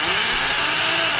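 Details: Milwaukee 0224 3/8-inch Magnum hole shooter corded drill, heavily used, with undersized gears: harsh, scratchy high-pitched grinding whir over the motor at full speed, forward; worn gearbox teeth.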